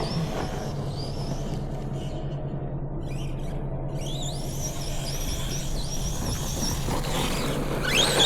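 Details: Team Associated MT10 RC truck that had ESC glitching and reboots, now with a capacitor fitted: steady motor hum over tyre rumble, pitch rising and falling with throttle, no cut-outs. Running normally.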